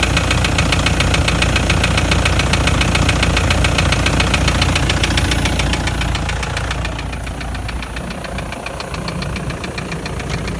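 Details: Toyota Land Cruiser Prado 120, 1KD-FTV turbodiesel, 366,000 km: steady deep knock about 3–4 per second at idle, began after towing a trailer up a pass with temperature rising; injectors bench-tested fine, endoscopy found scoring in cylinder 3; cause unknown.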